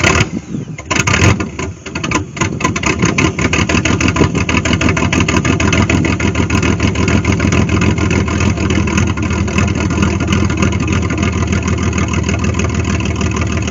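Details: 1998 GMC Sonoma 4.3-litre V6, revived after sitting for years in swamp grass: cranks, catches after a couple of stumbles and settles into a steady, even idle with no knocks; runs fine.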